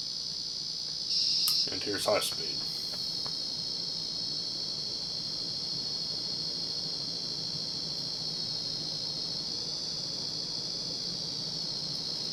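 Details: 1990 Casablanca Panama 50-inch Inteli-Touch ceiling fan with faulty control board sound driver, suspected bad capacitor or transistor: constant high thin buzz about 4 to 5 kHz whenever powered, with brief speed-change chirp and clicks; fan itself works fine.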